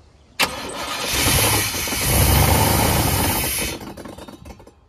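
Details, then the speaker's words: Junkyard 1989 GMC Sierra C1500 350 small-block V8, first start on poured-in gas: fires and runs briefly with a loud rushing, hissing fan roar over the engine before dying; fan sounds unhappy, cause unknown. "that fan is not happy"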